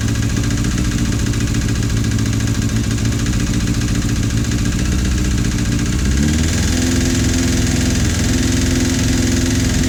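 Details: Suzuki GSF 650 four-cylinder engine idling with a distinct, fairly regular top-end clicking over the hum; persists after a valve adjustment, one camshaft lobe slightly more worn, cause unknown.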